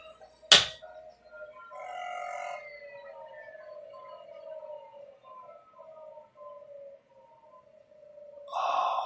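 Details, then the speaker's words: Salvaged 386 PC with two full-height hard drives, switched off via IBM-style power switch: a click, then a thin whine sliding steadily lower for about eight seconds as platters coast down; normal spin-down. "I haven't heard that sound in so so long it's a beautiful Beast of a machine I'll say that"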